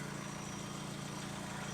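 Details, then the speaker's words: Used Hyundai donor engine with 212,000 km, oil slightly overfull, evidence of regular servicing; steady, even idle with a smooth low hum and no knocks or misses; normal idle. "It's looking alright. It's sounding a lot better."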